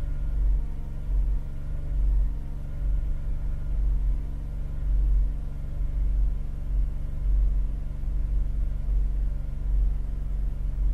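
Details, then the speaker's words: Holden Captiva (Chevy) V6 that cranks but won't idle, held at raised RPM during a power balance test: deep lumpy rumble unchanged when cylinders two, four and six are cut, showing that whole bank dead. "so we've lost two four and six that's proved by this Power Balance check that we've just done"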